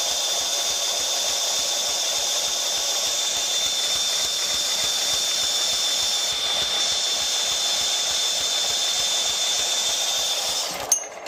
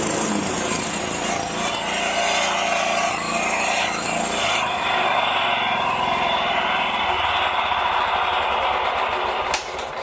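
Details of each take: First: Scag 36-inch commercial walk-behind mower, four-stroke gas engine: steady hiss with light, regular tapping a few times a second; knock traced to lifters, gone after oil change and maintenance. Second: Scag 36-inch commercial walk-behind mower four-stroke gas engine, low 60–70 PSI compression, after oil change and maintenance cured a lifter knock: runs at steady, even speed with no ticking or knocking, smooth and healthy.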